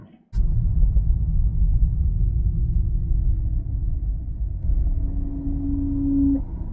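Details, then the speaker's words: Car crawling below 5 km/h while braking to a stop at a red light: a low, steady humming moan like karaoke speaker feedback resonance rises from the cabin; brake groan at low speed. "근데 5km 밑으로 갈 때 소리가 노래방 스피커 증폭 울림 소음이 들립니다"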